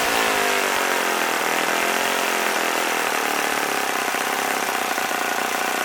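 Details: OS FS-40 Surpass four-stroke glow engine, first run after new bearings and teardown clean, Enya No. 3 plug, 11x6 prop: smooth even high-pitched buzz at full throttle, no misses or rattles, around 9,400–9,500 rpm. Normal running.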